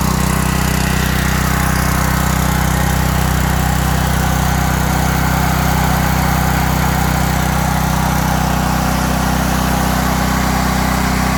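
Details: 5000-watt Briggs and Stratton generator with five hours run-time, after a no-start repair: stuck choke freed, Huayi carb cleaned, gummed float needle valve cleaned and its spring replaced. Strong steady drone, even pulse around 158 a minute, no surging or misfires; normal running.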